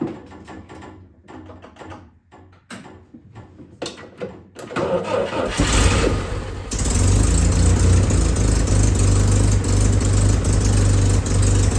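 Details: M38A1 Jeep after a tune-up for a small miss (new distributor cap, rotor, condenser, points adjusted): some clatter, then a couple of seconds of cranking before it catches and drops into a smooth, steady low idle with no miss.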